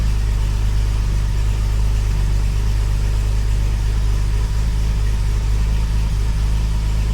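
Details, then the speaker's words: Engine with Weber carburettor swapped back, totally cold start after sitting since yesterday; steady even low idle, no misses, knocks or hunting; normal cold idle. "This is a so much better engine."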